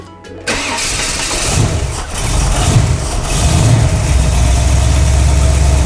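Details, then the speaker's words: 1971 Buick Riviera V8 just converted from carburetor to Holley Sniper EFI, break-in oil, start before radiator and front end are fitted: catches on first crank and settles straight into a steady even idle without stumbling; normal start and idle. "And no joke, first bump, fired up and idled perfect."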